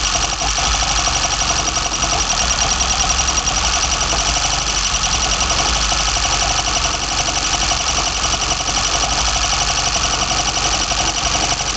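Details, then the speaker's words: BMW 318i M10 engine, first startup with newly fitted sidedraft individual throttle bodies: a loud steady engine roar carries a faint, constant high whistle of unknown source. "Sounds like I've developed a little bit of a whistle there."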